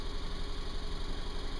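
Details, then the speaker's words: Subaru running rough at idle, cold in open loop, check engine light flashing with P0302: low, uneven, lumpy stumbling idle and constant snapping near coil pack from spark arcing; cylinder 2 misfire from burnt factory spark plug wire. "I see she's flashing flashing the check engine light again. Uh I would expect Oh, I would expect a um P 0302 cylinder number two misfire cuz that's what I was having before."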